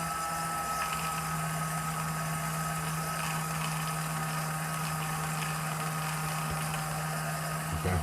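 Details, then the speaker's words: Suburban IW60RL on-demand water heater in a 2021 Alpine RV, new recirculating pump after air bled out: steady even low hum, no surging or gurgling; pump runs most of the time, circulating hot water through the half-gallon tank loop, normal operation. "It's getting quiet. Now this pump does run like most of the time because it's recirculating hot water through your system."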